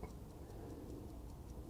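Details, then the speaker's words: Vintage Howard Miller ship's bells clock after fixing a bent little wheel: crisp, even ticks about five a second, strong steady beat. Movement sounds healthy. "but this sounds this thing's going to run okay"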